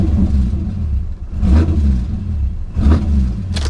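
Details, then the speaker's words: 2006 Pontiac GTO 6.0L V8, 6-speed manual, low miles, intake air temperature sensor missing and unplugged: deep rumble with uneven surges about every second at idle; owner suspects intake or sensor damage; rough running. "let's shut it off let's shut it off it is it is a little rough there could be damage to the uh the air intake"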